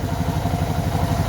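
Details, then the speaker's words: Suzuki DR650 single idling after fitting a K&N air filter and UNI secondary breather filter: even, steady thumping with no pops or misfires, and none of the popping backfire from the stock filter. "I don't know if I would call it quite a pop, but there's not that little bit of popping backfiring that I used to get with the stock filter. It's not really missing at all. It sounds great."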